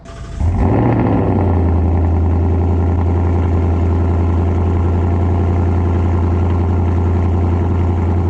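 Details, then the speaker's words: 2018 Mustang GT just after an aFe intake install, heard near the air filter: deep, steady idle with a light, fast ticking from the injectors firing; normal injector ticking at idle. "it's not as bad it just ticks up here but here's the filter you can sort of hear the ticking out of those the injectors firing"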